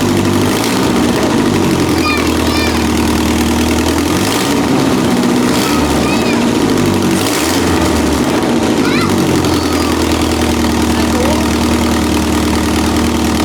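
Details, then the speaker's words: Budget widebody Corolla with a Toyota 2TC/3TC-type engine and stock-style carb: a lumpy idle broken by sharp pops every second or two, repeated backfiring; owner suspects ignition timing is off. "Yeah, that was fun. I wish I could describe the sound of the backfire. If you ever heard a backfire, then you know what I mean."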